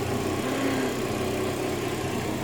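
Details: Aprilia SR50 Factory DiTech two-stroke scooter at 504 km, first run after 15 years sitting and priming the pump: steady, even buzzy idle with no misfires or hunting; running cleanly, normal.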